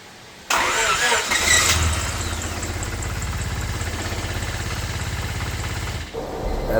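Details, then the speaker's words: 1997 Honda Civic during serpentine belt install: cranks, catches, then idles with a heavy, lumpy pulsing shake through the whole engine bay. The cause was a seized belt pulley that would not spin, not an overtight belt as first thought. "Whenever I turn it on here in a minute, you'll see the whole engine bay shaking and everything, the whole engine. But all it was that pulley wasn't letting it spin. That's all it was."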